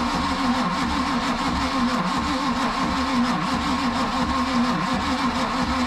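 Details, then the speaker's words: Boat 454 big block with ATF and junk in the cylinders, fuel poured in the carburetor, full throttle: slow, laboring starter churn that never catches; weak cranking, starter suspected damaged from trying to spin a locked-up engine. "just doesn't seem like it's cranking well seems like it ought to do better than that now that starter might be damaged from what we you know from it trying to spin a locked up Engine That Could Be the issue"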